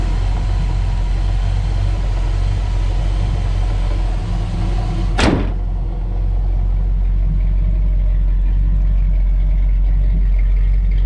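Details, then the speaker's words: 1987 Dodge Ramcharger 360 V8, straight pipe, no emission controls, recent tune-up (cap, rotor, plugs), oil and valve covers done; warm, deep steady open-pipe rumble, even firing, no misses or knocks; normal idle. "what you're looking at is the 360 with the straight pipe, and it sounds great. It just doesn't have the emission controls that some states are going to require."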